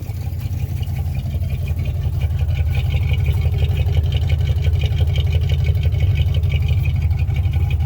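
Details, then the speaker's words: 1957 Chevy 5400 low cab forward with a swapped-in 1955 265 V8 and freshly rebuilt manual-choke Rochester 2G carburettor, first winter start: smooth, deep, even idle with steady pulse, no stumble, hiss or tapping; normal idle. "Sounds pretty, doesn't she? Purr like a kitten."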